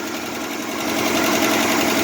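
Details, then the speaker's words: 1968 Jeep Wagoneer with swapped 1972 AMC 360 V8, revived after sitting a year, just started and idling: quick light ticking chatter keeping pace with engine speed; valve train noise, carburetor also leaking fuel. "you can hear it it's making some noise in the valve train"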